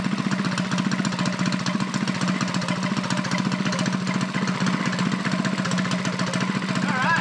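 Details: Custom Motovox minibike's 196 box-stock single-cylinder engine, rebuilt with new flat-top piston and rings and 22mm Mikuni-style carb, just started in a 40°F shop with idle turned up; steady, even fast putter, no stumbles, running healthy.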